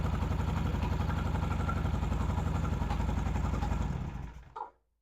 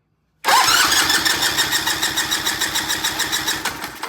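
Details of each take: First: Vintage British motorcycle twin, started and revved: rough uneven beats and coughs before dying, gasoline spitting back out of carburetor; intake valve on that side suspected, valve clearances to be checked next; carburetor spit-back. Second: Vintage British motorcycle twin, compression test with fuse pulled and carb/throttle wide open: strong even cranking about three beats a second, crisp firm chuff each stroke, gauge reading a good 160 on this cylinder; good compression.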